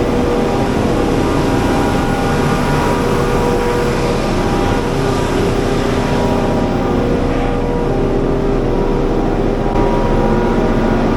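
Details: Diesel generator at a Manhattan utility area, started on second try after oil level checked full, before minor service: steady even drone, no knocks, misses or surging; smooth, healthy run.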